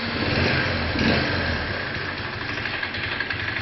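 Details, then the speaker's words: Viper Active single-cylinder motorcycle after repair of a loud timing chain and worn tensioners, carburetor cleaned: idle settles steady and even with no chain rattle; the earlier noise is gone, normal idle. "можете заметить что того шума уже нету"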